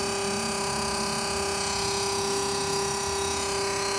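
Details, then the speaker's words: Mini fridge converted from 220 V to a new 12 V compressor motor, fuse and cooling fan fitted, cooling well: steady buzzing hum with a sharp high whine on top; owner suspects base vibration or gas overcharge. "Foi colocado tudo direitinho, a instalação até o fusível, foi colocado o fusível de 20 V, foi colocado um cooler como orientado na na instalação, mas aí quando liga ele fica com esse barulho."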